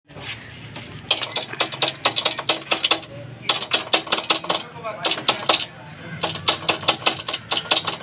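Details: Motorcycle chain moved up and down by hand: bursts of quick sharp metallic ticks; on opening the cover, a loose engine bolt was found contacting the chain.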